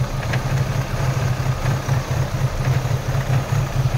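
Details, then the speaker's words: Opel Astra, no check engine light, rpm pointer rising and falling: a low, uneven, stumbling idle with no steady beat; the engine is misfiring. "So tingnan natin doon sa makina at pakinggan natin ang andar nito kasi dito sa pointer ay halata na palyado. So talagang palyado ang makina ngayon."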